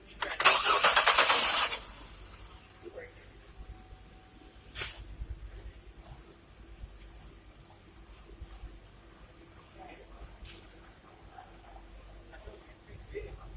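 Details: Car starter cranking during a negative-side voltage-drop test, relay pulled so the engine won't start; strong, even whirr for about 1.5 seconds then stops. Starter healthy.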